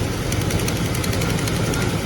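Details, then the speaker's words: 1938 Chevy, first start after revival: rapid sharp ticking and snapping on the engine beat. A massive exhaust leak at a badly bent header, despite a new gasket. "All right, so we've got it running, but we've got a massive exhaust leak right there. That header's bent to crap."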